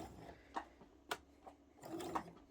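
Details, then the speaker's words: Sewing machine with presser foot plate thought to be set too far forward: quiet running with sharp irregular clicks about twice a second; owner suspects the needle is hitting the presser foot, plan to move the plate back. "So as soon as I'm done here, I'm actually going to take the machine apart real quick and move that presser foot back, because it sounds like it's hitting the needle."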